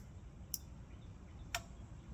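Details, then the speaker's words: Sharp isolated snaps about a second apart over low hum from a vintage CRT monitor's flyback area after brushing dust off; still arcing intermittently though less, owner suspects dirt, cause unconfirmed. "Yeah, but it sounds like it's arcing less. So, it could have been because it was dirty. But I still I'm still hearing it click."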